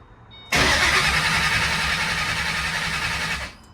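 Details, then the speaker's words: 2008 Mustang GT (S197) with Coyote swap on a control pack and trimmed 3V harness, cranking steadily about four turns a second with fuel pressure present but never firing. Crank-no-start because the crank trigger wheel is missing, so no crank signal. "so as you can see this thing was just cranking and cranking pulled the fuel line add fuel pressure at least"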